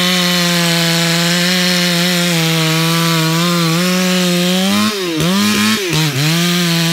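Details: Stock MS461 with eBay ported muffler, well worn, over a year of cutting; hand round-filed chain used a week, no touch-ups; felling cut in big hard northeastern red oak, camera a ways back. High steady scream with brief sag near the end, no chatter: chain cutting sharp.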